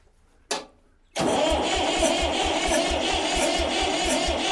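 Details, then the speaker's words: Old Massey Ferguson diesel tractor that sat in a barn 3–5 years: a click, then the starter turns it over fast and even, about two compressions a second with no dragging, no hesitation; battery and starter healthy. "listening to him to turn the switch like that and it not even hesitate I know this thing's not going to be too bad of a challenge to to crank right up"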